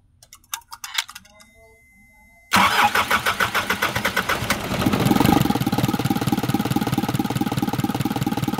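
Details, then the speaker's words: Isuzu 4HL1 diesel, previously cranking but not starting due to a grounded wire and no main supply to a relay socket: after repair, about three seconds of cranking, then an even idle. "Ayan umaandar na siya no. Medyo mahihirapan din kami pero sa awa ng Diyos okay naman na siya ngayon."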